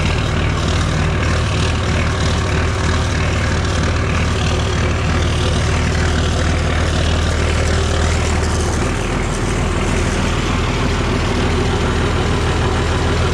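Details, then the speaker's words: Oliver 1950T tractor, 310 diesel, after starter repair, cold start at 20 degrees: steady even low diesel rumble at settled idle, no misses, knocks or starter grinding while warming up; normal diesel idle. "just how it's supposed to sound not too bad of a start for 20 degrees out"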